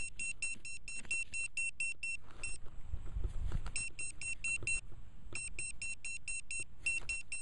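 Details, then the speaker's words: Velox metal detector in a park with sensitivity set too high; fast, even chirping beeps about four a second, a short pause, then the chatter resumes: falsing until sensitivity is turned down. "I got this thing set too sensitive, hang on. Okay, a little too sensitive."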